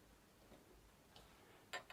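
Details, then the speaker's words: Nineties R.I.H. Sport six-speed bicycle, right pedal suspected of ticking while riding: hand-spun pedal gives faint scattered ticks, then sharper clicks from a dry, crunchy bearing. "yeah that sounded a bit crunchy"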